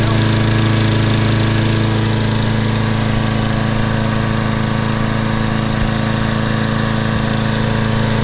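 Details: Craftsman mower, Briggs & Stratton 6.75 gross torque 190cc engine, running after suspected thin 0W-20 oil replaced with SAE 30: steady even single-cylinder chug about three beats a second, no misses or knocks; watching muffler for oil smoke, owner thinks it's overfilled.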